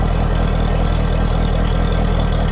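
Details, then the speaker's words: Mercury 200hp V8 Pro XS outboard on flush hose in neutral during 100-hour service (oil, filter, gear lube): smooth even low burble, regular firing, no knocks, telltale hole peeing water so it's pumping; normal idle. "we're just gonna so we're peeing out of the hole there which is good means we're pumping water"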